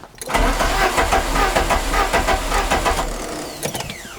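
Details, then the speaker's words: Peugeot 205 CTI after fitting a new starter, injection rail removed for a test: starter turns the engine at a steady rhythm of about a hundred per minute but it never fires; cause unknown, ignition being checked. "la voiture ne démarre pas où l'avez vu alors je ne sais pas pourquoi et je vais essayer de faire un test un test un peu bizarre vous avez vite comprendre j'ai enlevé la rampe d'injection parce que j'entends le moteur qui bakhit qui tourne mais en gros ça pète pas"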